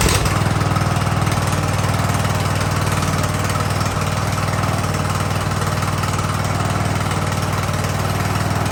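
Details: Ariens riding mower with hydro drive, sat at least two years, revived in about 30-degree cold: steady, even idle with a regular low thrum around three beats a second, no stumbling or dying; healthy idle after the neutral/interlock stall was sorted.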